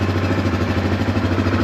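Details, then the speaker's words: 2016 Kodiak 700 ATV idling in park after replacing a leaking oil seal behind the water pump, with about 2–2.5 L coolant refilled and air bled: an even single-cylinder putter with no misses or knocks. Healthy idle, no oil dripping. "Now, I don't know if you can hear me over the potato potato of the four-wheeler here, but right there, zero oil dripping out of there."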